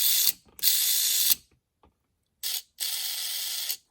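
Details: MA-030 Evo with new 4100kv motor and front one-way differential, wheels spun by hand: two bursts of fast, bright ratcheting clicks from the stiff new diff before break-in; it broke in quickly and went quiet.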